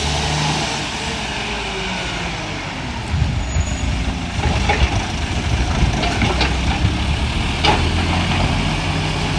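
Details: Euro6 diesel garbage truck on weekly collection, rumbling at work with a raspy, irregular puffing chuff riding over it; exhaust leak.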